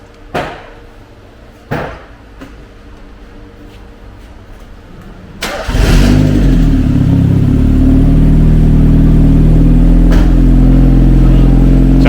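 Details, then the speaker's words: Mazda MX-5 Le Mans, first start in over 6 years after oil pressure was built: a few clicks, then it fires and settles into a loud, raw, even idle because no exhaust is fitted; no leaks. "he's not he's got no exhaust on it at the moment that's why it's a bit protein so"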